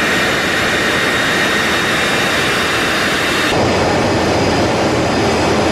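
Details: GE LM1500 converted fighter-jet turbine (15,000 hp), propane-fuelled, in test cell, heard from behind and front at full power: steady even roar with fine high hiss, no surging or pops; normal full-power run.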